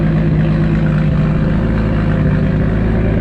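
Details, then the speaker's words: Toyota Supra after fuel-system upgrade (PHR triple pump hanger, relays, new fuel line), about 40 psi fuel pressure: low, even rumble with a steady beat, no stumble or hiss, no leaks; normal idle. "all right guys had the car idling so far so good no"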